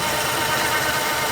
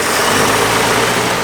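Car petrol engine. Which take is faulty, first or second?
first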